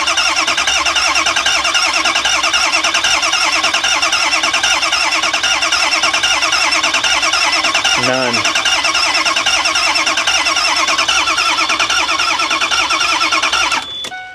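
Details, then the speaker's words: Ford E350 6.0 diesel bus, final attempt: starter churns steadily for about fourteen seconds without catching; crank no start, no oil pressure so no injection control pressure; owner wonders about the IPR and fears burning up the starter. "okay we're going to end up burning up the starter if we don't stop"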